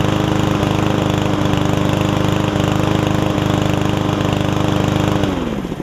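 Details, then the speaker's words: Yard Man self-propelled push mower with Powermore engine, long-sat, after carb clean and self-propel freed up: steady, even run at constant governed speed, then smooth wind-down at shutoff; about 90%, old gas likely still washing out, owner may add Seafoam. "So that's pretty much it there. Probably about 90%. I might throw a little seafoam in it and run it for a few minutes just to see if it will get a little bit better."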